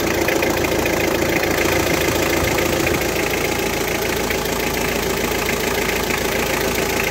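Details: Engine after service with new water pump and replaced valve cover gasket, earlier making a rattling noise: steady, even idle with a light regular tick and no heavy knocking; sounds healthy, normal idle.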